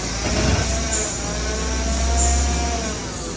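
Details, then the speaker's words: Car revving with automatic gearbox: deep engine drone with thin steady whine from the front; suspected low gearbox oil or worn CVT bearings, not confirmed; whining noise when revving. "ඔබේ වාහනයේ raise කරද්දී ඉදිරිපස ප්‍රදෙසින් හෝගාල ශබ්දයක් එනවද විනින් ඔයිස් එකක්."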